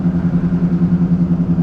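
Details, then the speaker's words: Ford Focus at about 45 mph test drive, before front wheel bearing replacement: low droning hum with a steady throb like driving on rumble strips; badly worn front wheel bearings. "I'm not sure if you guys can hear that on camera, but I'm doing about 45 miles per hour right now, and it sounds like I'm just driving on the rumble strips."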